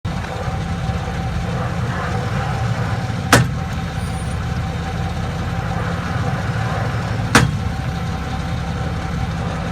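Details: 2001 Chevrolet Silverado driving in 4x4: steady drone broken by sharp single clicks about every four seconds; worn transfer case internals, later fixed by installing a used transfer case.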